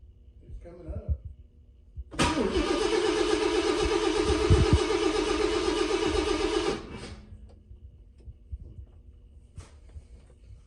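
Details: 1966 Thunderbird, first start after refurbished cooling system, new fuel pump, plugs, wires and coil on electronic ignition: about 4.5 seconds of steady starter cranking while fuel fills the filter, then it starts. Suspected wait for fuel to reach the carburettor.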